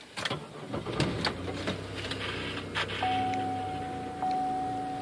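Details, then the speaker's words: 2000 Impala LS with Passkey starting issue, cranked with the key while remote start was active: short crank catches and settles to a smooth, steady idle under a chime; it then shuts off when the brake is pressed, and the owner guesses Passlock. "So he runs fine. Now I'm going to hit the brake."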